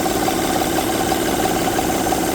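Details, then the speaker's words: 2008 Honda Pilot at idle, intake-side timing cover off, gives a fast light rattle over a steady drone as the timing belt flaps up and down; bad timing belt tensioner. "see how the belt is going up and down yep that's what's causing the noise because the tensioner is going bad or is bad see how the belt is not tight it's flapping up and down"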